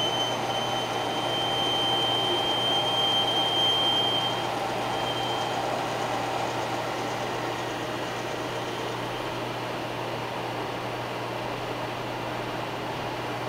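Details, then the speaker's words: Harman XXV pellet stove, noise returned about 3–4 minutes after restart, heard at the rear as the auger moves: steady rough grinding drone with a thin fading high whine; owner suspects an auger bearing, unconfirmed. "approximately 3 or 4 minutes into operation the sound returned and you hear it here what i' like to do is just take you around to the back briefly let you listen to the sound when the aagre moves and I'm assuming it's an auger bearing of some"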